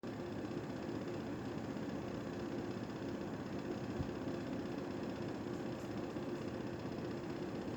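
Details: Panasonic air conditioner indoor unit running after its fan was broken by accident during cleaning: a steady, heavy rumble with a buzzing vibration under the airflow from the out-of-balance fan, which needs replacing.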